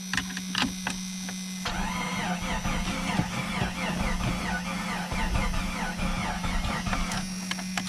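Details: Free Jeep Cherokee that had sat a long time, cranking in neutral because the shifter would not register park: the starter spins the engine steadily for about five seconds but it never fires.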